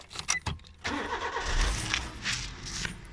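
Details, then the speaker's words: 2009 Suzuki Swift 1.3 GL three-door, 1.3-litre engine: starter whirrs briefly, engine catches and settles into a smooth, quiet idle with no knocks or rattles; runs nicely and sounds healthy. "Running nice and sweetly then is the 1.3 litre engine, and actually this does go quite nippy, it's quite fast."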